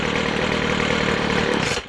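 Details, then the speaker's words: McCulloch 250C XL X-series two-stroke strimmer after carburettor repair, near-cold start (cooled 5-10 minutes), no choke; steady, slightly lumpy low tick-over buzz, then cut off; starts and idles fine. "I'll call that good from nearly cold start. I know it was only 5-10 minutes, but I'll call that good."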